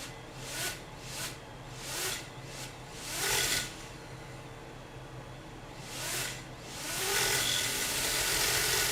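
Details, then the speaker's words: HGLRC Rekon FPV drone on the bench in horizon mode with throttle down: motors spin up and die away by themselves in irregular whining surges, then hold a high buzz; faulty flight controller causing uncommanded motor spin-up, cured by a new flight controller. "Let me just try it. I can hear it spinning up."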